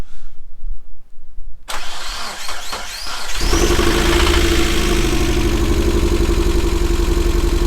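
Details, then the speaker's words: Engine rebuilt for the first time and knocking again after 75 miles, restarted: it catches and settles into an idle with a steady rapid knock from the bottom end, worse than before; suspected rod bearing knock. "okay so here's where we are with the car uh the knock has continued everything I've TR tried has failed"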